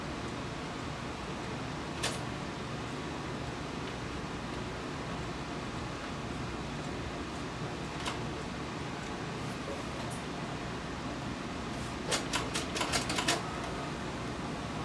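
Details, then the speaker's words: Citizen JCTV1587 14-inch CRT TV/VCR combo, powered on showing blue screen, inserting a tape: faint steady hum with scattered clicks then a quick cluster of clicks; VCR mechanism won't load the tape, cause not yet found. "Let's uh just see what happens when I try floating a tape. I don't know what's on this tape. Garbage, I'm sure. The VCR is not uh doing anything."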